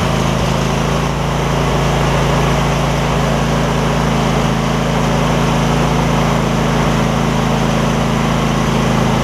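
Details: Husqvarna rider with 24hp Briggs & Stratton V-twin, about 190 hours, that suddenly stopped; right cylinder exhaust pushrod had fallen off and was refitted with no damage: smooth even drone at steady speed, no misses, knocks or rattles; running properly on both cylinders.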